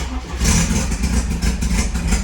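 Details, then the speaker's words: Porsche 924 Turbo idling in neutral: loud raspy chuffing pulsing with each firing, tractor-like instead of its usual quiet running; a large hole found in the exhaust, inspection starting at the manifold. "all right so i think you can agree this is a horrible noise it sounds like a tractor which is terrible it's not the way it should be"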